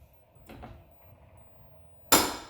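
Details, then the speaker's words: 2001 Subaru Impreza 2.5 RS, rear axle jacked up to simulate strut compression: faint creaks then a single sharp clunk as the rear suspension loads, like something hitting inch by inch; source in the rear suspension suspected, not confirmed. "so as it's going up and the compression it's it's hitting something so it's like uh like a thread like you know going inch by inch on on a lift something or something"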